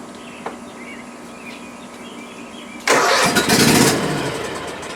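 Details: Cub Cadet ZT1 Ultima mower: quiet, then engine catches with a sudden roar and quickly fades instead of idling; starts then dies because a shorted key switch cuts power to the fuel solenoid.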